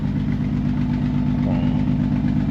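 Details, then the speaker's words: 2009 Honda Odyssey being scanned with a severe misfire, before spark plug replacement and oil leak repair: idle with a regular stumble, a dropped beat every fraction of a second; cylinder 1 misfire, owner hopes it isn't low compression. "Honda Odyssey a ver qué año es 2009 estoy escaneando ahora mismo tiene un misfire grave"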